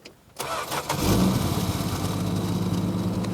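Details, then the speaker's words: 1966 Plymouth Barracuda Formula S engine, revived after decades sitting; cranks briefly, catches within a second, settles to a steady smooth quiet idle with no rattles or knocks. "I don't care what anybody say it's smooth it's quiet I didn't hear any rattles or nothing"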